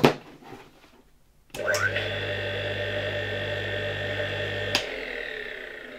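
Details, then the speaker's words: Rebuilt 1958 "Croatia" single-phase motor (converted to a grinder) test-run after disassembly and reassembly: starts, rotor centrifugal switch clicks as it reaches speed cutting the auxiliary winding, steady even hum, another click coasting down; switch and motor healthy. "Działa bardzo fajnie i tak jak mówiłem już w odcinku o tym silniku, słychać jak po pierwsze w momencie kiedy silnik nabierze już obrotów, bardzo szybko po jego uruchomieniu słychać jak ten wyłącznik odśrodkowy rozłącza tutaj obwód zasilający uzwojenie pomocnicze"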